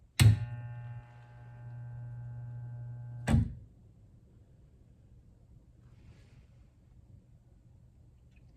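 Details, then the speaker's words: Vintage L&A electric pressure washer barn find, switched to rinse: sharp click, steady low hum for about three seconds, another click as it drops out; rinse solenoid and small transformer engaging normally. "When I switch to rinse, I hear the solenoid click on the back and the little transformer engage. So if I switch to rinse, that clicks on."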